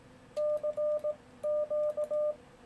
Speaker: hope you can hear that the relay turns on but doesn't turn off again until i finish sending and that's because i've got a break-in delay set here